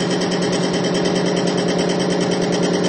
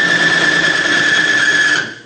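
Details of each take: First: Bearing lubricity test rig in diesel with Bi-Tron conditioner, under about 250-350 pounds of load, several times plain diesel's 50-pound failure point: even, steady whirring with light patter, no grinding or screech, getting quieter and not seizing. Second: Bearing lubricity test rig in plain pump diesel, no additive, under about 50 pounds of load: hard high-pitched metal squeal over rough scraping that drops off quickly as the surfaces overheat, weld together and seize.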